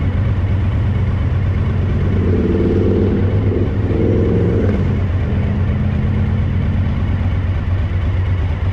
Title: DL1000 rear cylinder misfire a